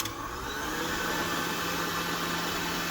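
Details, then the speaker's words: KitchenAid 7 Qt Pro Line / 8 Qt Commercial mixer after the 1.3 HP DC motor swap, run to check planetary alignment: even motor whir with a steady gear tone, no clicks, grinding or stalling; running smoothly. "that concludes the motor swap now we have a perfectly well running machine"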